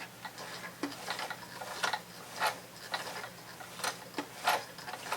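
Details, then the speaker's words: Thrift-store sewing machine turned by handwheel for a few stitches after cleaning: slow uneven clicking and ticking, feed dogs left lowered so fabric isn't fed. "Okay, I don't see the feed dogs acting right. Maybe I left him down. I did!"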